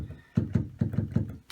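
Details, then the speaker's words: Yamaha CLP-685 digital piano, volume down: some key presses land with a dull thunk and a short loose buzz behind the key. Something is loose behind the action on several keys; the piano is going back to the shop. "however on this key here there's don't know if you can hear there a Rattle and there something loose behind behind here"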